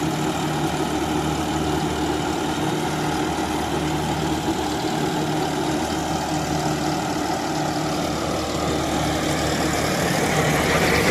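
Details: John Deere 5075E CRD diesel tractor in a banana field, rpm holding with no drop: steady, even drone with a low thrum, no dipping or knocking; healthy engine pulling evenly.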